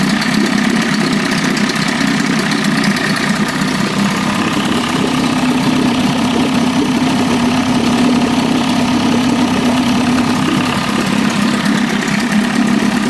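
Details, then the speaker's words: Fully rebuilt 1981 Evinrude 25 HP two-stroke outboard, low-rpm break-in, warmed up and throttled down: steady even buzz at constant low pitch with no misses or knocks, idling between 750 and 1000 rpm; lots of smoke, presumably from extra oil in fuel. "Uh once it's warmed up and you throttle it down, it's idle, it's idling, it's jumping between 750 and and a th00and."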